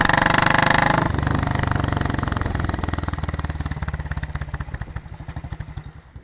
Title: RATTLING sound 2